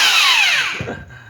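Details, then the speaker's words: Bosch 800W hammer drill, Chinese-made, nearly 10 years old: high motor whine suddenly fades and spins down within a second, cutting out intermittently; owner suspects a poor electrical contact. "역시 안 됩니다. 예, 접촉 불량인 것 같아요."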